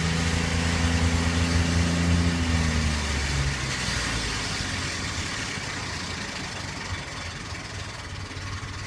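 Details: 1998 Ford Explorer V6 at idle and accelerating: fast, light ticking over the engine hum, still present after an oil change; broken timing chain tensioner found, chain and tensioner replaced.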